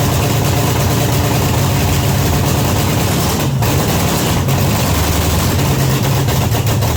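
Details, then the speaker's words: 1979 Pontiac Trans Am, overhauled 400 V8 first start, loud deep unmuffled idle with lumpy uneven beat, no exhaust fitted; very rich, black fog from carburetor, floats suspected too high, not confirmed. "It's really, really rich. I might have the floats might be a little too high in it. Because it's blowing the black fog out of it."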